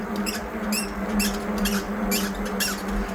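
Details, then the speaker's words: Aipas M1 Pro e-bike pushed up and down while stopped: short high chirps about twice a second with each bounce; owner suspects the center shock under the seat; squeak when bouncing. "when I get here, I get off the bike and I just kind of push it up and down, you can hear the squeak."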